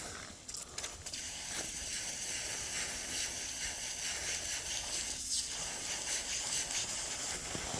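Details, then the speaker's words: Heat straightening steel: after heating, the hot metal is rapidly cooled, giving a steady sharp hiss with light crackling; normal, the rapid cooling pulls the metal straighter. "So that rapid cooling will help pull the metal even more."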